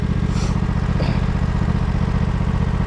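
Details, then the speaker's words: 1968 John Deere 140 garden tractor, first start attempt: steady starter cranking about three pulls a second with even chugging, never firing; crank no start, owner suspects flooded carburetor. "Damn. I bet you we flooded that carburetor."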